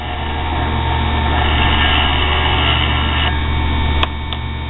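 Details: Mini grinder built from a sewing machine motor, running at its working speed: steady, even motor hum with no knocking or banging, showing the shaft is well balanced.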